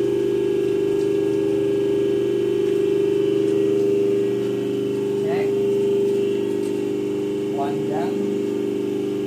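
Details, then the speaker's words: Hydraulic power pack for a stage lift, 140 cm cylinder, 5 cc pump, tested at night: steady quiet hum at one constant mid pitch, no knocks or surging; pump and motor running smoothly, normal. "Nah, ini bunyinya terdengar ya. Jadi lumayan senyap."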